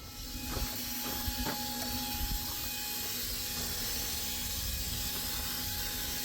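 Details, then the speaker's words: 2008 Mack with MP7 engine at idle with brakes applied during inspection: steady high air hiss. First suspected a steer brake chamber, but the leaks were found at fittings on the foot brake valve. "I hear an air leak. We're going to inspect that. Sounds like a steer brake chamber to me, but who knows."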